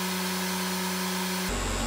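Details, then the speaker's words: Repaired Akafusion Akatherm CB315-U electrofusion welder running a full weld after replacing the repeatedly blown resistor: steady low electrical hum with fan-like whir, even tone, no cutting out, drawing 4.8 amps and putting out 104 volts; normal operation. "will it work this time now replace that resistor yes it will there we go 4.8 amps putting out 104 volts"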